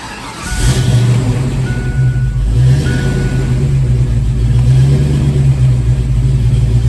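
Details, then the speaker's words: 1987 GT with a warm crank/no-start problem, restarted warm: starts fairly easily and settles into a low, fairly steady idle with only a gentle rise and fall; the mild hot idle surge is improved but not confirmed fixed. "all right so that's definitely an improvement start it up again fairly easily and just a little bit of idle surge and not even as dramatic"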